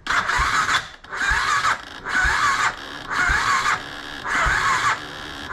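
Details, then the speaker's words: BMW F650 motorcycle after head gasket sealer treatment, spark plug refitted: five short cranking bursts with whirring starter, engine never fires; battery suspected flat, possibly fouled plugs from idling on choke. "try I think the battery is flat let me put it on charge quickly"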